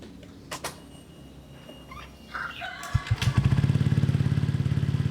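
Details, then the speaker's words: Honda Vario with CMS copy exhaust after the header joint was packed with a pot-mending patch: starts after a few clicks, then a deep, hollow, pipe-like thudding on throttle release; owner suspects the header area. Sounds fine on the road. "Kan gue nyobain ini agak kurang enak ya pas turun gasnya itu, apalagi kayak ada ember-ember gimana gitu, ember-ember kayak paralon gitu cuy."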